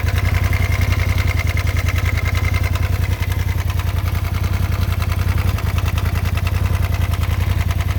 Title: 2018 polaris rzr making engine noise